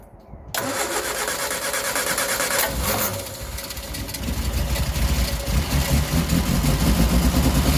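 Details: 1967 Triumph Spitfire MK3 abandoned project, first start-up: brief crank, then catches into a slightly lumpy, uneven idle that smooths as revs rise; rough idle, needs a tune-up, carbs to be stripped and cleaned.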